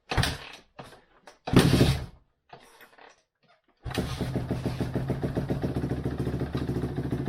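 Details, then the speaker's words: 2005 Suzuki RM-Z450 single after engine rebuild, first start: a few kicks and bursts then catches into an even regular beat taking throttle; runs fine, though exhaust may need repacking and loose head pipe could cause slight popping back. "well it doesn't sound too bad she's taking gas and everything else"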